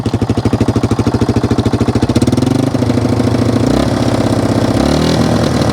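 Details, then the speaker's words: 1995 Yamaha Wolverine 350 ATV riding: single-cylinder thump firing unevenly, stumbling at mid/half throttle, running rich; idle and full revs good; carburetor needle suspected, may be dropped about one notch. "good when you really rev it she seems good but when you're like mid throttle half throttle it's definitely putting too much gas into the system"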